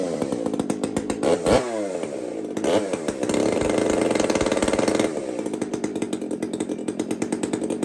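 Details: Two-stroke chainsaw (Kenzie's), just after first start: catches, settles into a crisp steady idle, then revs up clean and drops back without bogging; running healthy.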